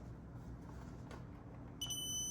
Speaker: There we go. Meter's getting a little old, so it do be beeping. So this is on that wire, so we know it's grounded.